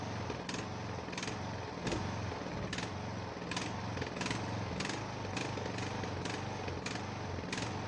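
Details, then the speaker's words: Ariens 42" geared riding mower, 17.5 hp Briggs & Stratton (31C707), Nikki carburetor, long neglected, first start indoors, throttle at rabbit, smoking heavily: uneven chugging, irregular sharp pops every half to one second, missing; rough running, owner suspects old gas. "Yeah, something's not happy with it. Probably that old gas."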